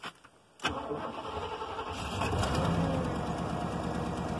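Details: 1996 Chevrolet Caprice with a passkey fault, after a bypass module was wired to the PCM fuel-enable circuit and no key fault shows: a quick crank, then it catches straight away and settles into a steady, even idle; normal start.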